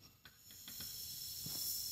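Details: Keezer CO2 secondary regulator, handle turned on: soft hiss builds then holds steady, gas flowing normally through the regulator into the keg.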